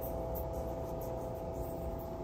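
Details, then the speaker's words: Hitachi HT-324 turntable motor, steady whirring drone with constant hum underneath, no ticks or scraping; still loud after belt change and oiling the motor, phone held against the turntable; cause not yet found. "So yeah, I'm going to try oiling the motor and see if it makes it any quieter. Well, I oiled it. It does not sound any quieter."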